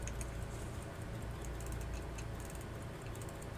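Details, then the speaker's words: 1800s AWC Waltham full-plate pocket watch after complete oiling and reassembly: faint, light ticking of the running movement over a low room hum; a winding gear flipped back into place, watch running fine. "and that's good that's running um and I know that that gear needs to flip back into place to wind the watches so I think it's no problem there I can hear it ticking hear that"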